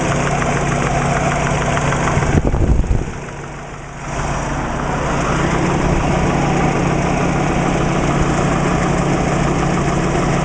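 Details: Subaru Legacy with WRX boxer engine at idle: steady light knock about three or four taps a second over the running note; described as piston slap.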